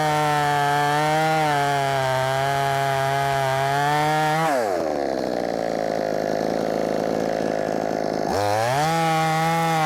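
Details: Brand-new, unbroken-in Wemars 6220 clone chainsaw on shakedown run: crisp high revs bog down steadily in the cut, then snap cleanly back when it clears; loud, powerful, revs good; normal running under cutting load.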